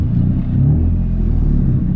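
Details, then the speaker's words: Nissan 350Z while driving: deep, loud, raw exhaust rumble with rough throbbing low note like open headers, which appeared suddenly during a turn; owner suspects exhaust disconnected or existing exhaust leak worsened, not confirmed. "I guess my exhaust disconnected or my my my exhaust leak got even worse or it opened even more I don't know what happened but it sounds really really nasty like if I'm open headers that's how it sounds right now and doesn't sound good"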